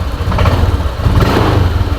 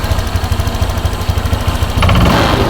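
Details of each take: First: Honda Vario scooter before repair, throttle opened. An uneven, lumpy engine note wavers and sags instead of picking up cleanly, as if about to stall; owner suspects the fuel system (air filter to throttle body), not confirmed. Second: Honda Vario scooter that hesitated on throttle, after the fuel system was checked from the air filter to the throttle body and reassembled. It fires after two seconds into a steady rhythmic putter with regular pulses, running cleanly without stumbling.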